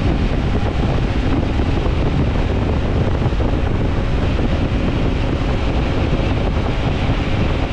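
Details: 1995–2000 Ford Contour electric cooling fans bench-tested for a 1994–95 Mustang fan swap; steady, even rush of air with no ticking, rubbing or wavering pitch. Normal cooling fan operation.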